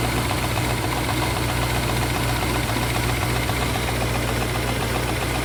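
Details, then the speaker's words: 1967 Rolls-Royce Silver Shadow, cold start at about 35 °F on warm-up fast idle. Fast light tapping about twice a second over a steady idle; the owner attributes it to the hydraulic pump running, which is unconfirmed. "look at there I don't know if you can hear that tapping is That Knocking that knocking noise that is this hydraulic compressor running"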